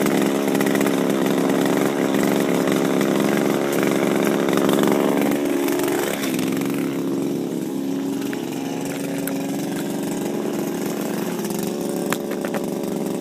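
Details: Refurbished Shindaiwa power broom with new carburetor, gaskets and recoil, running without air filter while sweeping: steady, even two-stroke buzz at constant speed, no misfire or surging. Normal healthy running after the rebuild.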